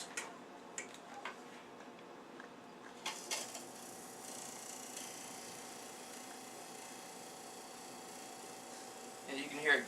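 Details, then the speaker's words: Leslie speaker top motor: steady motor whir with a faint dry scrape of metal rubbing inside; it must be taken apart to find the cause. "yeah yeah so you have to take that apart yeah and find out why that's grinding"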